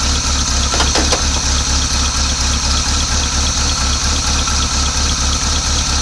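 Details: 1986 Chevy C10 Silverado V8 that sat abandoned for 15 years, idling once the leak stopped: deep, even thump with a steady rhythm and no misfires, ticks or knocks. Normal idle.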